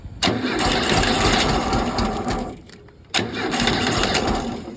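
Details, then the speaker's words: 1968 Volkswagen engine rescued from garbage, first start attempt with gas fed from a squirt bottle into the carburettor; catches in two rough sputtering bursts that bog and die: too much fuel flooding it. "Oh shit, too much gas. There it is, yes."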